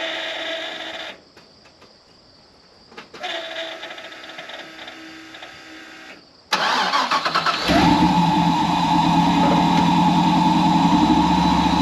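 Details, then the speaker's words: Truck before the in-tank fuel pump upgrade: a steady electric hum before cranking, then the engine idles over a persistent loud whine from the noisy fuel pump. "You can listen to how loud the pump is, and then I'll show you everything I got to do this job."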